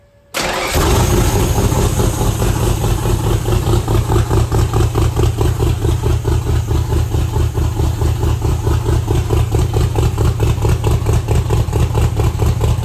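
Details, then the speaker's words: Factory Five MK2 Cobra roadster Ford V8 with Edelbrock Pro Flo 4 EFI on first start; cranks briefly, fires at once and settles into a deep, steady, lumpy idle with an even loping pulse, before timing set. "all right I'm going to go ahead and get the timing set so it's been running for a while uh still running as you can obviously hear"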